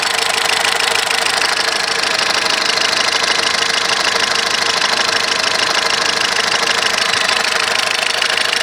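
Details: 2010 VW Golf 1.6 at idle: fast rattling tick about three per second from the accessory belt drive that disappears when the poly-V belt is removed; persists despite replacing water pump, alternator bearings, timing belt, poly-V belt and tensor bearing.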